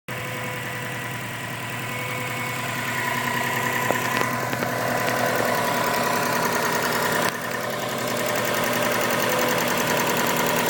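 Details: 2002 Subaru Impreza WRX idling: light even ticking about three to four a second, heard on both sides, seems internal; cause unknown.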